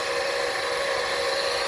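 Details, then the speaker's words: Hyundai Elantra run dry after stalling in flood water: steady mid-pitched whine over a quiet idle, new since the flooding; points to an accessory, possibly a failing alternator, unconfirmed. "all right so after running it for a while nice and dry I noticed that you also need to start to make noise you can hear it see wasn't doing that before"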